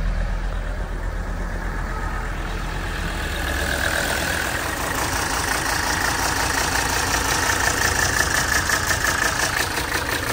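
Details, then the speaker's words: 1980 Mercedes 300SD turbo diesel, 141K miles: steady diesel idle clatter, no excessive smoke, with a light uneven rattle on top from a loose part that stops when held down; engine otherwise sounds healthy. "noise is just this so if I hold it down it doesn't make the noise it's just this thing rattling so try to ignore that if you can"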